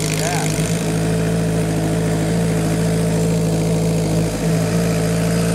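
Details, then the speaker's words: Kawasaki Ninja four-cylinder at operating temperature, which won't take throttle once hot: idle with an uneven beat as one cylinder drops in and out. Spark plug wires are suspected. Intermittent misfire. "we dropped cylinders hear that is that cylinder like bugging in and out"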